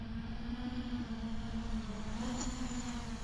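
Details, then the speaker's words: Diatone Roma F7 7-inch quadcopter, 2808 motors, first test flights: motors hold a wavering mid-pitched buzz that wobbles instead of staying clean, weird motor sounds; owner thinks it needs tuning. "well damn it really sounds very very weird"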